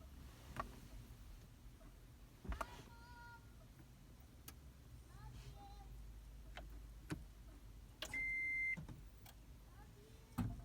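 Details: 2010 Toyota Prius after being used to jump-start another car: foot on brake, start button pressed, a few dry clicks and one short high beep in the cabin, no dash lights, hybrid system will not power up; intermittent no-start.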